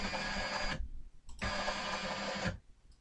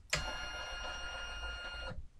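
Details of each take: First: Sainsmart 3018 PRO CNC stepper buzzes coarse and gritty on two X-axis traverses at a GRBL max rate ($110) of 2900, the speed where it starts to struggle. The rate was therefore reduced to 2300. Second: SainSmart 3018 PRO CNC, X-axis acceleration ($120) set to 1700 during GRBL tuning, 50 mm move right and back: steady high singing stepper tone cutting off cleanly, smooth and healthy, so acceleration is raised to 1800.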